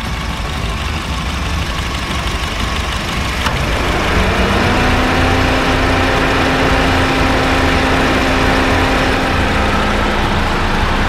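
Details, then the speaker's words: Honda Fit GD3 idling with A/C on after a refrigerant top-up: compressor kicks in with a soft even hum, its earlier rumbling gone; likely caused by slightly low gas in the compressor. "もう今はね、完全に音がなくなりました。まあ、今回はね、多分ね、コンプレッサー内部のちょっとガスが少なかったような感じだと思います。"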